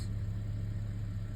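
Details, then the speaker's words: 2010 Audi A6 C7 3.0 supercharged V6 with codes P0300, P0304 and P0305, after replacing the spark plugs and clearing the codes: smooth, steady, even idle with no stumble or skip, so the misfire is fixed. "idle is pretty stable there you go guys that's the issue"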